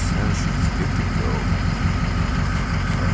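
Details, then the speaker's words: 6.0 diesel, warm, after standpipes done and OEM IPR refitted replacing faulty aftermarket one (previously high ICP, rough idle): steady even idle with deep low rumble, no misses or stumbles; running well. "now that I put the OEM One back on I know my issue was the stand pipes originally so now she's running like a top"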